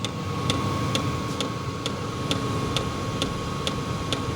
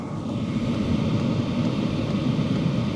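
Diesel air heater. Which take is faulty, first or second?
first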